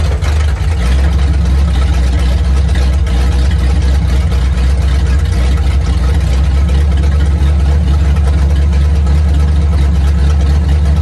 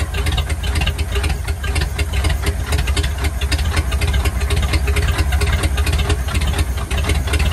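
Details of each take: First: 1950 Ford flatbed dump truck with flathead V8, revived after sitting about 40 years: deep, steady, even idle with no knocks or misses. Runs like brand new, carburetor works; cooling system needs help. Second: 1950 Ford flathead V8 truck, first start after about 40 years, gunk from freeing it still inside, throttle being worked: loud, choppy rumble with irregular pops and ticks. Runs rough ("ain't liking this two-stroke"); a little smoke, not bad.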